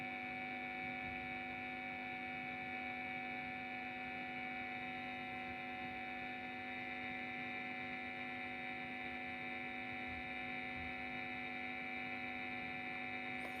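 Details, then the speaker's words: Cheap guitar-effects power adaptor outputting 9.28 V, plugged in and sounding suspicious: a steady electrical hum with a strong buzzy overtone, measured at 42 dB minimum, 49 average, 50 maximum by smartphone dB meter; mains hum. "Langsung kita colok. Terdapat suara yang mencurigakan."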